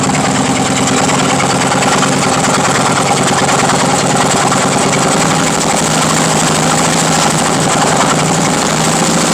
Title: Harley engine knocking